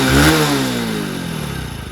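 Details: One-year-old Hero HF Deluxe BS6 motorcycle after clutch plate replacement and tappet adjustment, started on self-start: quick rev falls back to smooth, even idle with no tappet tick or clatter; noise fixed.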